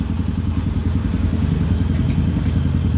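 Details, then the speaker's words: Honda Supra X motorcycle at idle after repairs for a clattering engine noise: damper rubbers replaced, gear shift setting adjusted, and the clutch pins pressed; soft, even, quiet putter with the earlier clatter gone. "ini sangat halus sekali ya nyaris tidak terdengar atau benar-benar halus mesinnya"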